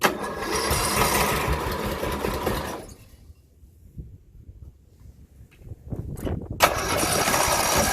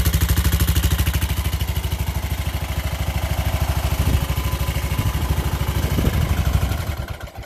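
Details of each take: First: 17.5 hp Briggs OHV single-cylinder mower engine, being swapped out: runs steadily but with a deep, repetitive bottom-end knock, a really bad rod knock. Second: Craftsman LT1000 lawn tractor after swap to what is believed to be a 16.5 hp Briggs engine with the old carburetor, first start on choke: even, steady thump at fast idle, no knocking; runs well.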